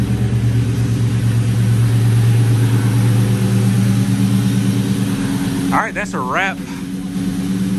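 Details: New Edge SN95 Mustang in freezing weather after spark plug change and mass airflow sensor reconnected, before an 800-mile trip: deep, steady idle with even, smooth burble and no stumble or miss; running cleanly.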